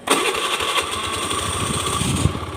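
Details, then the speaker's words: Honda Click 110i that was hard to start because fuel pump pressure was only 1 bar; after a new fuel pump gave 3 bar, the starter whirs briefly and the engine catches at once, settling into a steady, strong idle without throttle. "ปล่อยให้มันรัวนะครับผมกดแล้วปล่อยไว้เลยไม่ได้ไม่ได้เร่งอะไรนะติดเองมันแรงดันอยู่ที่3บารหน่อยๆนะครับผม"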